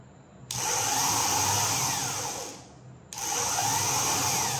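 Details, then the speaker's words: Rebuilt car self-starter motor bench-tested off the car with jumper leads: two short bursts of even high whirring that start cleanly and wind down smoothly, no grinding or clicking; starter functioning properly. "तो हमारी star motor है वह properly function कर रही है"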